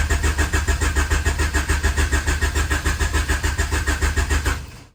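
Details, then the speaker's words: Honda Accord CB7 with built turbo H22, no-start: starter churns steadily at three to four pulses a second but never fires; spark not yet checked. "Yeah, I don't know. This is This is really This is really annoying me right now. Still nothing."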